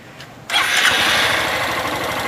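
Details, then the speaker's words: Honda Fan 160 motorcycle at idle: a busy idle with light, quick top-end ticking. This is normal roller rocker-arm rattle and needs no valve adjustment, since over-tightening risks tight valves and a lost idle. "não rapaz Isso aí só tá chocalhando só isso assim ó machucada pode mexer na 160 assim mesmo que agora tem uma roletezinho entendeu Vou dar explicação aí não precisa regular Sua moto tá zero meu filho entendeu"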